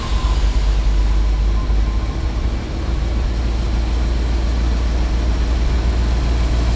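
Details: Ford F750 haul truck, stock 1974 Ford 391 V8, idling in shop (won't run past idle) before engine removal; deep, steady, quiet low rumble with even beat, no knocks or misses; smooth idle.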